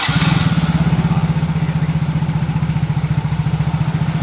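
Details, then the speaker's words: Yamaha Mio GT scooter engine that was smoking, after replacing only the piston rings without replacing the cylinder block; a steady single-cylinder idle with no ticking or misses; the engine now runs smoothly. "ini sudah saya buktikan cuma ganti ring Piston aja tanpa ganti blok sudah bisa halus yang betul"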